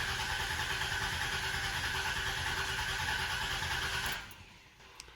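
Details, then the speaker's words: 1993–1997 Dodge Intrepid, fuel pump relay pulled to relieve line pressure before a fuel filter change: even, fast cranking for about four seconds with no firing and no pump priming sound; crank no start, fuel pump disabled. "So I'm going to try and start it just to make sure that, see, usually you'll hear the pump go for a second. Don't hear it."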